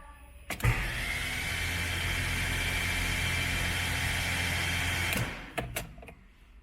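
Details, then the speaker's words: Car engine's first start after rebuild, in neutral, oil light already off, check-engine light on: smooth even starter whir about four seconds, engine turns lightly with no knocks; fully lubricated, no valve strike, timing right; normal cranking. "demos a partida no carro você viu que o motor girou leve mas girou mas ele não deu nenum um tranco não deu nenhuma batida isso é um bom sinal"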